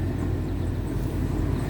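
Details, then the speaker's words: 2002 Toyota Sequoia 4.7 i-Force V8 started in neutral: catches at once, settles into a deep, even idle with no misses or knocks; only fan belt noise heard. "But apart from that, seriously, this motor is just ticking over. It is just ticking over. No knocking noises."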